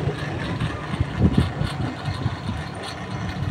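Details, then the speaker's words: Asahi stand fan whose thermal fuse and starting capacitor were faulty, motor tested on 220 V at speed 1 before the blade is fitted: steady low hum with no rattle or scrape; the motor spins up fast and runs normally. "Ayan umikot na siya oh. Bilis na ng ikot ngayon."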